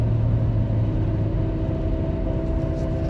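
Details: Saturn Vue 3.5L V6 AWD (Honda J35 engine) driving, steady low droning hum under road noise from the front, absent in neutral or park; starts near 25 mph, clearly noticeable above 40 mph, briefly louder off throttle. Failing wheel bearing.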